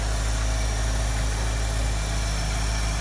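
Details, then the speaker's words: 1973 Mustang convertible 302 with a 2V 2100 carburetor, warmed up in a garage at about 73°F: the high idle cam has dropped onto the throttle solenoid pin, giving a deep, steady 800 rpm idle in park (about 650 in drive). Normal warm idle. "the high speed idle cam drops and the engine drops to 800 rpm if i put the car and drive it'd be about 650 rpm 640 which is what i want it to be"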